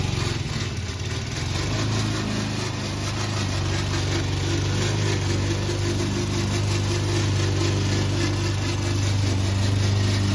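Mower engine running steadily at cutting speed with a constant rattling clatter over it, pointing to a noisy drive system.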